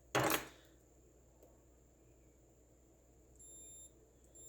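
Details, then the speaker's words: 1978 Kawasaki KZ650 motorcycle, testing a cleaned switch with brown and red wires probed: short knock then a steady high meter beep comes and goes, showing continuity through the switch circuit. "Okay, so I've got the brown wire going in, and the red wire, and you can probably hear that. It means there's continuity."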